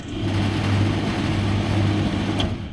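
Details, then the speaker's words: Electrolux/Simpson 39P400 3.5 kg dryer, door catch screw missing: after the start capacitor tested within spec (7.95), closing the door gives a motor hum that runs a couple of seconds then drops away; drum spins if lifted, the mechanical press-button start interlock is failing. "but then it stops again. So, if I lift this up, the drum spins, does everything it should do, but it's the mechanical interlock for the press but uh press button start that is failing."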